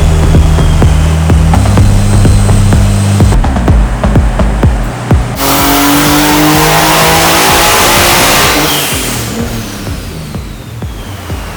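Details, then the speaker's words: Nissan S14 on a tuning run at low boost while fuel mapping is dialled in. Full-throttle pull to about 7,000 rpm (320 hp at 6,200 rpm) climbs hard and cleanly then drops off, with no knocks or rattles; engine sounds healthy. "I think that was a full pull I think we saw 7,000 RPMs made a lot of noise sounds like there's a lot going on in that engine but it all sounds healthy so far"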